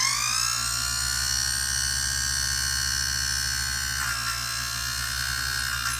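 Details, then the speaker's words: 1930s Robbins & Myers vintage fan, first test on a makeshift plug after restoration, gearbox off, fan and cage not fitted: a high thin squeal that climbs as the motor spins up, then holds with faint scratchy ticking; brush holders or gears suspected. "I don't feel like it's spinning in the right position. And that sounded a little funny. I wonder if it's hitting the brush holders or it's just these gears with the gearbox off making that noise."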